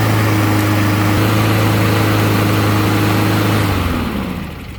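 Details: Small single-cylinder mower engine just after carburetor cleaning and reassembly, started after a few pulls to refill the carb: it holds a steady, even beat for about four seconds, then winds down at shutdown. It runs normally.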